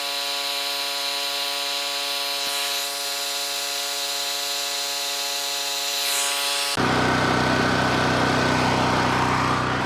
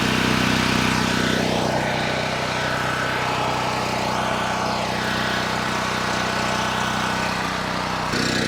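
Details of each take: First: Cheap Chinese mid-size gasoline generator, slightly choked and not fully warm: steady drone, then a grinder load of about 1000 W kicks in near seven seconds and engine holds speed and frequency without sagging; healthy under load. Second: Cheap Chinese mid-size gas generator, first start: engine drones steadily with a sharp puffing tick about three a second on the exhaust note, an exhaust leak; fresh oil also leaking from the engine bottom.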